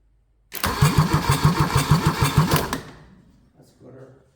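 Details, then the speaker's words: Kubota D640 diesel rebuilt with a D722 head, cranked to get oil up to the valvetrain before the first start attempt. Even, strong cranking pulses about three a second for two seconds, then stop; the starter turns the engine over fine. "yeah that sounds pretty good too all right let turn it over get oil up to the valve train"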